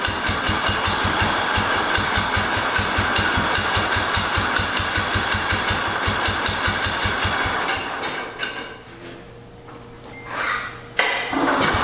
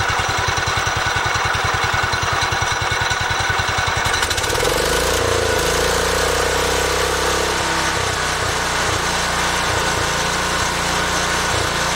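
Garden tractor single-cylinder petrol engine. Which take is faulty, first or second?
first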